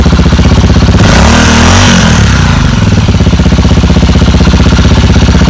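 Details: Motorcycle with a bad battery started via a small portable jump starter on the third attempt: engine catches into steady even beat, revs cleanly around a second in, then drops back to smooth idle; normal running.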